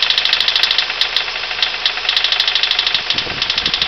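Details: Honda Civic EM1 SiR at idle: sharp, even knocking about three a second over the engine hum. Rod knock from chewed-up big-end bearings; piston possibly tapping the spark plug. The engine was later replaced with a CR-V-based swap.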